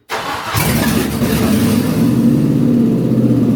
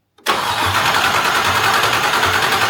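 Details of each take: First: Discovery 2 with LS V8 swap, first start on conventional oil with zinc additive after restoring fuel pressure to almost 50 psi: catches immediately and settles into a loud, steady, deep rumble without stumbles; runs fine. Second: Land Rover Discovery 2 LS-swapped engine, fuel pressure gauge on fuel rail Schrader valve reading zero: starter whirs steadily with a slow regular compression pulse, never fires; crank, no start, no fuel pressure, fuel pump likely unpowered.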